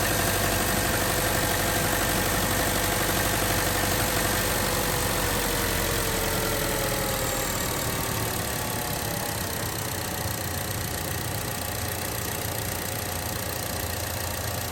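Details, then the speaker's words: 2013 Chevrolet Cruze after replacing the old, likely original belt tensioner, AC on: steady, even idle with compressor running, loud ticking from belt drive gone; normal idle with AC on after repair. "There's no more loud noises. It's very quiet now, as it should be."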